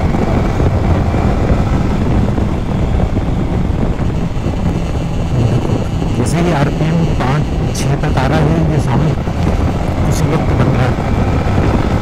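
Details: Yamaha MT-15 held at high revs: a dense, gritty buzzing rattle over the engine note that starts once the tach touches 5,000 rpm and is getting worse; cause not pinned down, awaiting a warranty part replacement.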